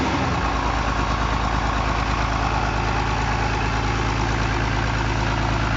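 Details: Diesel engine with long-neck injection pump at steady idle after pump replacement and fuel bleeding, idle turned down; even beat about three per second with no pump clatter, sounds healthy.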